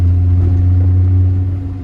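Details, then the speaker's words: Driving and turning after a new SKF axle was installed to cure a noise: steady low road rumble with no clicking or clunking; drivetrain sounds healthy, noise gone. "Omar - Omar - oh I don't hear anything that's such a thought that's so nice whoo that's such a relief"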